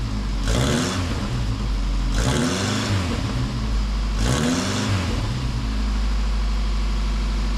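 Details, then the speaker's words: Austin Allegro classic car after homemade exhaust rebuild with Peugeot 207 rear mount: three clean, even revs settling to steady idle; exhaust sounds sound and leak-free, engine healthy. "The answer is she sounds pretty good."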